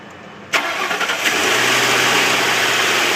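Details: Ford Crown Victoria V8 cold start: a few sharp engine knocks as it catches, then settles into a hissy idle.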